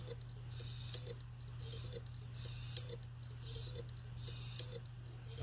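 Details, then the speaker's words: New Seagate IronWolf Pro 16TB (ST16000NT001) hard drive in a docking station, dead on arrival: on power-up it clicks steadily about once a second instead of spinning up, after earlier beeping; Windows doesn't detect it. "before I was getting some beeping sounds now I'm getting clicking"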